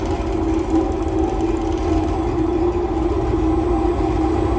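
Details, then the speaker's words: Empty honey extractor with no frames, on a new wheeled stand with brakes off, at 80% speed: loud steady whirring hum with no knocking, wobble or movement; normal smooth running. "Well, that's up to 80%. And the most I ever do is about 70 to 80. And obviously there's no honey in it, there's no frames in it, but there isn't a single piece of movement on that."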